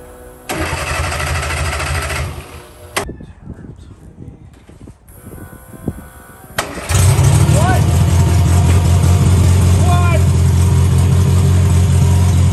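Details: 1963 Austin Healey Sprite 1098, first start in almost a year after swapping the Weber carb for an SU, new spark plugs: several seconds of cranking, a pause, more cranking, then it fires into a steady, even four-cylinder idle.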